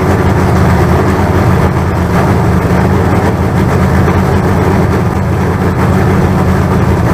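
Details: Freshly built 388 small-block Chevy V8 break-in run on the stand, throttle worked by hand. Loud, steady low rumble, fairly even with no clear knocking; oil pressure about 80 psi and running in normally.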